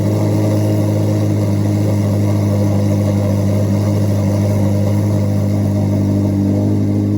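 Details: 2024 Chevrolet Corvette C8 Z06 revving after a cold start: deep, even V8 roar with a smooth, clean note and no knocks or ticks; healthy engine.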